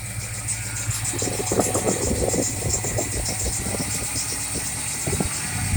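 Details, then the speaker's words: 1968 Pontiac LeMans first start after engine rebuild, warming up for break-in, rpm raised, good oil pressure, charging, water temp a little under 200; steady slightly raised idle, even low rumble, no knocks or ticks; normal fast idle. "The important thing here is to warm up the engine. I'm going to bring the RPM up a little bit. Let this thing break in a little better than it has been."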